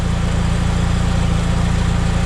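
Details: 2006 Chevy HHR idling after rusted fuel pipes were replaced with custom nickel-copper lines, checked for leaks and dry: even, steady low rumble with no misses, knocks or hiss; normal idle.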